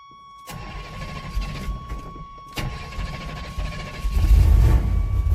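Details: 1987 Chevy S10 with 305 small-block V8, after replacing a mechanical fuel pump that fell apart and priming the carburetor bowl: cranks briefly, catches cleanly into a steady deep rumble with no stumble; normal start.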